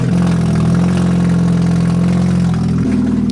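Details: Supercharged Chevy Cobalt SS with a big hole in the stock downpipe, before replacement: idle is loud and blatty with a heavy drone. Exhaust leak, which also causes misfire.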